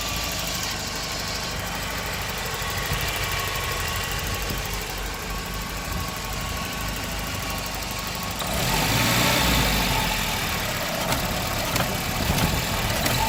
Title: Volvo 940 B230FK 0.8-1.0BAR rough idle